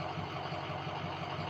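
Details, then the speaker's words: Diesel idling with codes P0470 and P0299 present: steady low idle, only slightly unsteady and roughening less often; sensor voltage reads zero, and the owner thinks the EBP sensor itself is bad. "Voltage is zero naturally. So, and it's not idling as bad. Like, it's not doing it as often."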